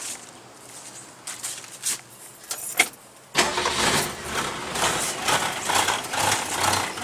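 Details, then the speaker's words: 1966 Ford Mustang coupe, recently bought after sitting: cranks a few seconds, catches, then settles into an uneven, lumpy idle with a wavering beat; runs rough and not up to par. "What I was saying, I don't think it's running up to par. Because he had just purchased it. And it's been sitting up."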